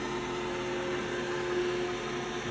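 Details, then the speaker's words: iRobot Roomba i7 with only 7 hours of use: steady high squeak over the fan whoosh from the middle brushes, quiet with them removed; earlier it rattled; brushes or assembly suspected. "now it's making squeaking noise. And that's only from the middle brushes."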